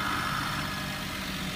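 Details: 2008 Maruti Suzuki Alto after a shorted plug wire and spark plugs were fixed: a steady, even idle with no misses or stumbles. It previously jerked with the check engine light on, which is now out.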